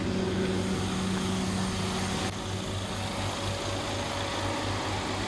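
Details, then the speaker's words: Peugeot 308 Turbo idling with aircon on and coolant at about 90–95°, with an added high-speed radiator fan on a timer (45 s on, 20 s off). The fan gives a loud steady air rush, then cuts back; cooling fan working normally. "Nampak high speed fan. Memang letak jari, ulu jari memang terasa angin dia dan bunyi dia kuat."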